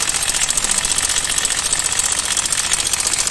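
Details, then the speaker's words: Honda Vario 110 carburetor scooter at idle: fast, sharp metallic ticking about four per second that disappears when revved and returns on release. Traced to the cam chain tensioner, not the piston. "Saat Anda melepaskannya, akan terdengar berisik. Jadi, pertama-tama, kita buka penutupnya . Oke. Dan ternyata suara itu berasal dari dalam sini. Jika bukan suara piston, kemungkinan itu adalah tensioner atau penyetel rantai"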